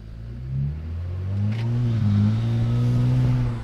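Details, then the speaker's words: BMW 335i N54 twin-turbo on a road test after swapping cylinder 3 and 1 injectors for a misfire, previously not building boost: engine note climbs smoothly with strong steady pull; turbos coming onto boost normally. "oh boy i hope you guys just heard that let me let me try to do it again for you that definitely sounds like boost to me"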